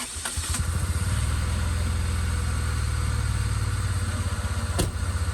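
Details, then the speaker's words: Car restarted after fire and ignition wires borrowed from another car, no coolant hose fitted: loud, fairly steady idle with even low thump and no misses, but a raw airy edge from intake air leaks. "Just loud. Definitely air leaks, but she's not idling bad."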